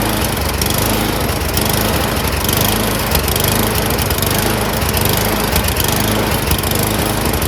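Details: Snowblower with a small single-cylinder engine runs fast and loud, its speed rising and falling every second or two; surging, cause not confirmed.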